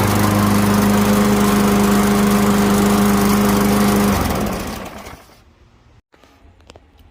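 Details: Craftsman M210 self-propelled push mower after new belt and blade fitted, test run: steady, even single-cylinder drone at constant pitch for about four seconds, then shuts off and winds down; running normally.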